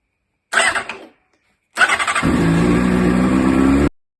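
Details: Honda CBR600RR with the ignition key deleted: short fuel pump whir, then the starter cranks briefly and the engine catches at once into a steady idle; normal start.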